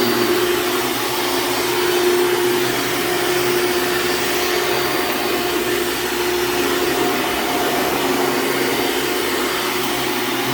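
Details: Hoover Dimension Supreme upright vacuum working a rug: loud motor roar with thin constant high squeal on top, belt slipping; squeals immediately on rugs, worn drive belt going out.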